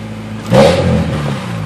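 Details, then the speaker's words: Honda Del Sol running after a spark plug replacement: a short blip of revs with a hollow, buzzy rattle on it, attributed to loose plastic at the bottom of the car rather than the engine. "It's just the plastic at the bottom. That's why it sounds like that."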